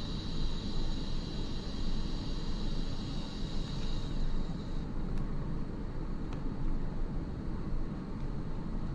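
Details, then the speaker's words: iOptron GEM28 telescope mount slewing declination at speed 9, after the motor belt tension was adjusted: a thin, steady motor whine with no knocking or clunking, so the drive sounds normal. "so as you can see just that minor adjustment to the belt took care of that knocking noise"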